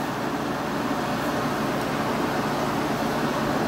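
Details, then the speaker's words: 1986 Kenmore air conditioner on high cool, outlet about 54 °F, compressor audible; smooth even fan rush with a steady hum, no rattles or clicks; normal running. "anyway it's about 50 something and i'll go ahead and install the fan you can hear the compressor although you can't see it put it on low fan and we'll measure the temperatures"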